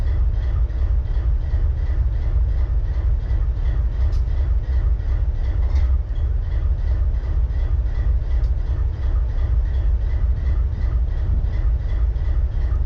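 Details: BNSF 4583 locomotive diesel idling: deep, steady rumble with an uneven, loping beat roughly every two seconds, like one cylinder dropping out; misfire at idle.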